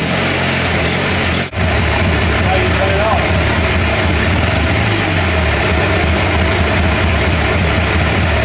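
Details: Riding mower small single engine after draining water from the gas tank, cleaning the carburetor and greasing the starter: steady, even speed with a smooth unbroken note after one brief dropout; runs normally.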